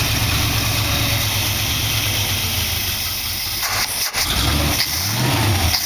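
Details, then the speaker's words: Dual-quad carbureted V8 in a 1914 vehicle build, after the carb's possibly plugged passages were cleaned because it had been puking fuel. It settles into an even idle after throttle blips, with no misses. Air screws now affect it and it is no longer pouring fuel. Normal idle. "Idling alright. See if I can bring this to idle. Started right there. Air screws are affecting it. Not really pouring fuel into it."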